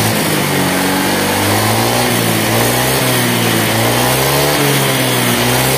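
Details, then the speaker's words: Honda Vario 125 scooter after head and block rework on a minimal budget, tested over a longer ride: smooth, even engine note rising gently with throttle, no smoke, no overheating, coolant level steady; normal idle. "aman gak ngbul [Musik] halus suaranya"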